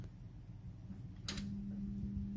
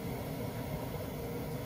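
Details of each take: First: Glowworm Ultimate 40FF boiler, front and combustion covers off, fan heard on demand: steady low electrical hum without spinning-fan whoosh, fan barely turning; seized fan motor needing replacement. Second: Glowworm Ultimate 40FF standard-efficiency boiler after fan replacement: quiet, even low fan rumble with the burner lit, no rattles or surging; fan replaced and combustion running normally.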